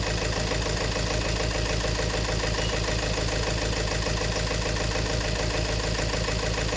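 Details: 2018 Peugeot 3008 diesel at idle, noisy engine; loud rough idle with a steady knock about eighty per minute over the clatter; scan shows injector number one reading 1.17 against about 0.78 on the other three; rough idle from faulty injector.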